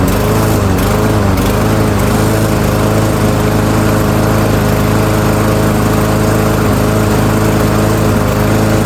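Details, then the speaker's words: Yard Machines by MTD self-propelled mower, PowerMore 139cc OHV engine, customer says won't start, before tune-up: constant high even single-cylinder drone holding speed, no surging or misfire; complaint not verified, runs fine. "Okay, so customer's complaint not verified. Mower runs just fine."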